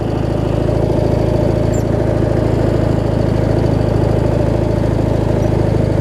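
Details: 20-year-old Craftsman riding mower with Briggs opposed twin, after drive belt replacement: steady, even low thrum with no misses, knocks or hunting; idling smoothly and healthy.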